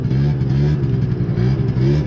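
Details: Moped/scooter (MBK) two-stroke, before carb tuning: owner had fitted a free-flow air filter that enriched the mixture; buzzy note wavers and hangs at one pitch instead of climbing, too rich to rev out.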